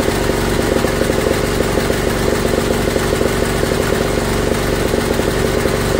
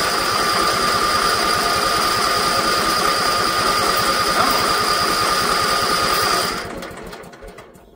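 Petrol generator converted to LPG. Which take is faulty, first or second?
second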